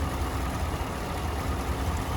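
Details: 2016 GMC Yukon XL 6.2L V8 idling with a low, uneven lope, codes P0300 and P0303, misfire on cylinder 3 with 250 psi compression; backing off the rocker cleared the misfire, so a collapsed lifter needs a new lifter and guide.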